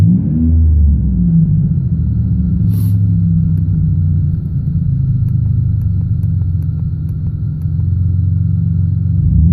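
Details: 1999 Pontiac Bonneville 3800 V6, high mileage (listed 2015k miles), misfires with strange codes, plugged catalytic converter already found: low uneven idle rumble with lumpy stumbling beat; still misfiring, cause unclear.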